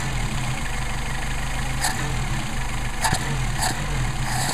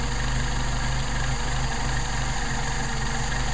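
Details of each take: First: Mercedes 190SL with rebuilt Solex carburetors: steady low idle with quick throttle blips rising cleanly and settling straight back; crisp, healthy response. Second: Mercedes 190SL with rebuilt Solex carburettors, warmed up, idle mixture screw turned in past its setting: loud idle with an uneven, lumpy beat that keeps stumbling and worsens, showing how the engine sounds when the mixture is off.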